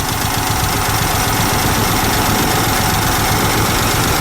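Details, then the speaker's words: VW Super Beetle Volksrod air-cooled engine, started cold, possibly flooded after the throttle was pumped many times: loud, uneven, shaky idle with a lumpy beat about four per second that won't settle; expected to smooth out once warm. "okay now let's see if it starts and we got it yeah it's cold but nice and shaky shaky"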